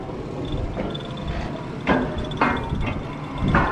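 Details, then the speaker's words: Oilfield pumping unit: heavy, uneven bangs about every half to one and a half seconds over a low rumble. The tail bearing looks alright but moves left and right and bangs, which the speaker thinks is caused by the skid coming apart (suspected, not confirmed). "the tail bearing looks alright it's kind of moving left and right and banging but i think that that's because of the skid we'll get to in a minute"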